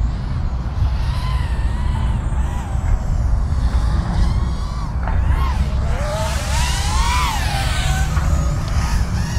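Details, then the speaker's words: Eachine Tyro79 FPV quad after frame transfer and PID tuning: over steady rumble motor tones warble and swoop unevenly; flies fine but unclear if strange prop sound, possibly too much prop pitch, or the tune. Cause suspected, not confirmed. "I don't know it's really hard to tell if it's just because it's got some strange prop sounds or it's really the tune"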